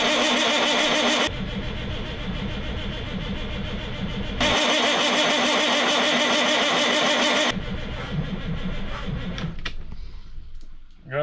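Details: CAT 3406B diesel in a Kenworth K100 cabover, not run for 25 years: steady starter cranking at nearly four turns a second in long bursts, never catching.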